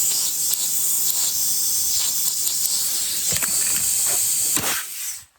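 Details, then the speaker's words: Steady high-pitched hiss of compressed air escaping at a leaking air hose fitting; retaping helped only a little, so the fitting itself is suspected to be failing. "Yeah, it's just, you can hear that hissing coming right out."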